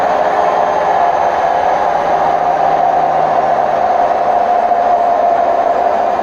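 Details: Hotpoint WMF760 washing machine on spin program, May 2018: loud steady roar with a rumbling growl at full spin speed and no knocking, from worn drum bearings.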